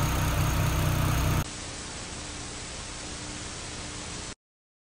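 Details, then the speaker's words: Renault Clio 182 RS, cold engine after replacing all four faulty fuel injectors (had flashing engine light and misfire): short burst of steady even idle with no lumps or stumbles; lumpy idle now gone. "i can say now there's no lumpy idol that's running sweet as about i can already tell that fantastic news"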